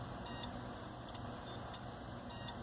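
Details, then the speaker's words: Hitachi hard drive, about 7 years old, failing in a Linux mdraid RAID1 array: faint high chirps and a couple of sharp ticks over a quiet hum as it struggles; failure attributed to age, not defect. "It's still trying to work, but it's just not. It's putting an effort, I'll give it that, but as I was saying, around the 7-year mark is when I see a lot of drives that are of reasonable quality start to fail, at least in the modern era."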